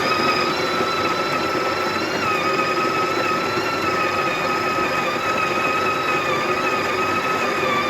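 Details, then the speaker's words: Coffee machine grinder, portafilter locked in place and given a brief push forward to grind one shot: steady high whirring hum holding one pitch for eight seconds with no stalls or rattles; normal grinding. "so once this thing is sitting in place just give a very brief push forward and feel the coffee grinds itself to the right amount"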